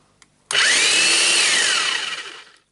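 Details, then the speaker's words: Hilti TE905-AVR demolition hammer with a damaged cord and a wobbly tool holder. High motor whine spins up, runs about two seconds, then winds down on its own with the service light on. Intermittent cut-out; an electrical fault is suspected. "you're just trying to turn it on yeah it runs and it stops yeah and the service light is on when it stops"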